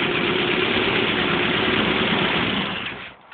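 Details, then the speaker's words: 1978 Triumph Spitfire after head gasket replacement, new carburetor needle valve and oil change to 20W50, warming up with no choke: steady, even running with no knocks or misses; not fully tuned yet but running much better and smoking less. "you can hear it's not tuned 100% yet but it's running a lot better"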